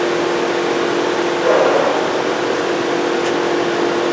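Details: 2007 Volkswagen Jetta 2.5L that cranks but won't start, no check-engine light at key on, scan tool finds no ECM communication: loud, steady roar of radiator cooling fans stuck on high, typical when the ECM isn't communicating.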